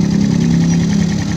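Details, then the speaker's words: Rebuilt and reinstalled Yamaha Jupiter ZR/Vega ZR single, with serviced carburetor and oil flow checked; an even, quick beat and steady low drone with no knocks or rattles. It idles smoothly. "berarti ini motor sudah aman ya ini mesinnya pun halus ya"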